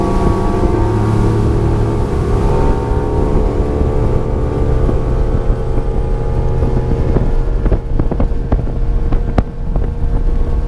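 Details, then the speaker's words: 1999 Johnson 200 HP outboard (J200PLEEB) under power heading back after replacing the fuel-flow vacuum switch behind false check-engine alarms; clean, even drone climbing slightly in pitch, wind rush behind, no alarm; owner thinks it's fixed. "we're going to crank it up goes through his checks cranks right up and head on back"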